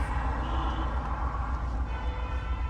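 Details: 2020 Nissan Altima idling in gear: low, uneven idle with a lumpy pulse and shake. Misfire with code P10C3, pointing to a fuel injector problem; the affected cylinder is not yet identified.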